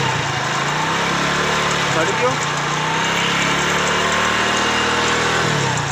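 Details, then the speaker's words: Hero Splendor Pro motorcycle at idle: steady single-cylinder idle with light uneven rattle from the magneto side, caused by a broken magneto-side plate, found on teardown after being ridden despite the noise. "तो जैसे कि दोस्तों आपने सुना इसके magnet side से आवाज आ रहा है और हमें लगता है दोस्तों इसके मैग्नेट साइड में ही कुछ प्रॉब्लम हो सकता है"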